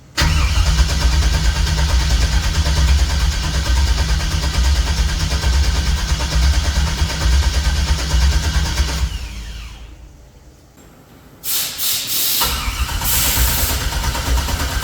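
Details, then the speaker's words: 1964 GMC truck V8 with Holley EFI after rewiring: long steady cranking with no catch, a pause, more cranking and a single pop that seems to come from the driver-side bank; crank no-start. "it's like the same thing just gives a little pop yeah H and it still sounds like that pop is coming out of the driver side Bank"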